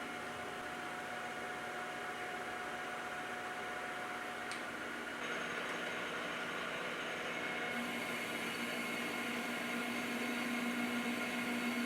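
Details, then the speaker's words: Emco V13 lathe turning 1-inch stock toward about 0.704 in for a cupping punch, 0.100 in cut; steady high singing tone over lathe hum, chatter not affecting finish; tool chatter, suspected unnecessarily heavy cut. "You can hear there is some chatter there, but doesn't seem to affect the surface finish, which is interesting. Nevertheless, probably an unnecessarily heavy cut."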